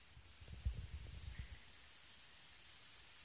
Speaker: Coil whine é esse barulhinho que vocês estão vendo aí no vídeo agora.